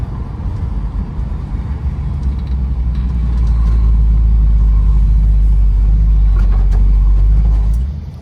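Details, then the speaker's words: Restored 1970 Dodge Challenger R/T convertible V8 with 64 miles on it, good temperature and oil pressure: deep, smooth rumble swelling steadily as it pulls away under throttle; healthy exhaust under acceleration. "uh this one's actually kind of deep it's got a nice B though very smooth um like I said good temperature good oil pressure"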